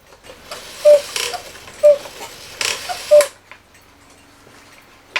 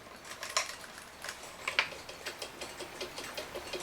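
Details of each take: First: 1969 E. Schmeckenbecher Black Forest cuckoo clock, West German movement, long unused, before repair: three thin, wheezy cuckoo calls about a second apart; stiff leather bellows with a hole in one, maybe both, leaking. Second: 1969 E. Schmeckenbecher Black Forest cuckoo clock, West German movement, very clean, before oiling: crisp, light, steady ticks with no stalls or scraping. It runs normally, and the plan is only to pull the movement, oil it and probably blow it out.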